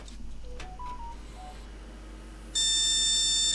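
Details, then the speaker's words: Flea-market retro PC (2003 board) with a keyboard attached to load BIOS defaults: a few faint short tones, then one loud sustained beep at startup. POST error beeps; a dusty, unseated graphics card is suspected. "oh it's bleeping again now that sounds like the graphics card isn't seated"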